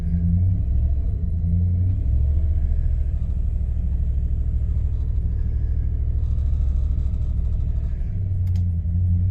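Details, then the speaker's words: 1998 Jeep Grand Cherokee ZJ 5.9 Limited with the check-engine light on: a deep idle that sags and loses power when revved, then recovers unevenly. The owner suspects a failing fuel pump and bad gas, which is being diluted with fresh fuel. "Yeah, see, rev, and everything drops off. Power dies, everything drops."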